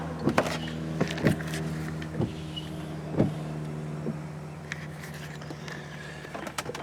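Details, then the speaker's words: 2004 Cadillac Escalade: rhythmic whirring with a clunk about once a second as the wiper motor sweeps continuously though switched off, with the washer pump also running. A fault in the wiper motor, whose circuit board is the common fix. "can you hear my windshield wipers running and they're off"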